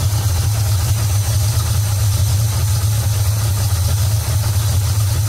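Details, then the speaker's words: Big-block Ford with a Street Demon 625 carburetor at operating temperature: the mixture screw is backed out until the idle smooths out and rises, giving a deep, steady V8 idle with no stumble or misfire; normal idle. "back it back out until you hear the engine smooth out you can hear it smooth out and kind of idle up"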